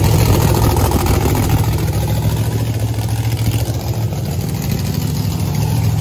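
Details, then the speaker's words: Race car back running after fixes including welded headers and a new race tank vent: loud, deep, lumpy V8 idle with heavy low rumble and a steady beat, running even and strong. Normal idle. "i just got blasted golly i forgot how loud this thing is"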